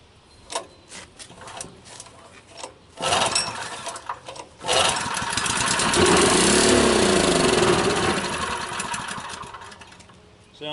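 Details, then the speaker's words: Honda small-engine water pump with old stale gasoline: after several pulls and a spray of brake cleaner it fires and runs rough for about five seconds, then fades out; fuel starvation from a clogged carburetor. "like we got a clogged up carburetor."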